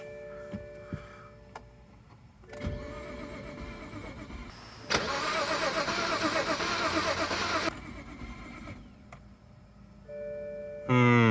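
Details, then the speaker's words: BMW 535xi E61 wagon, probably sat for a while, first start attempt after installing a used, reprogrammed MSD81 DME (original was water-damaged): starter spins steadily, never fires; crank no start, owner fears bad fuel. "Doesn't seem good. Oh boy, it's probably been sitting for a while. I hope the fuel isn't that bad."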